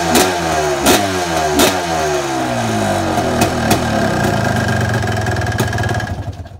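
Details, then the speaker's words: KTM 550 single two-stroke, ported motor, warm, kick-started: blipping revs with sharp pops, strong running. Owner says it could probably be jetted a little better, but nothing is clearly wrong. "That's the 550. Absolute beast. Probably could be jetted a little better, but this is what we got."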